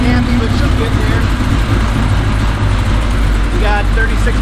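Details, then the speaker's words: Third-gen car first start after two years off, after fuel pressure regulator cleaned, fuel pressure set to 45 psi and TPS set: deep loud exhaust rumble at idle with unsteady hunting beat, computer unhappy with injectors; rough idle, cause unconfirmed. "injectors so the computer's not happy about that it hasn't run in two years"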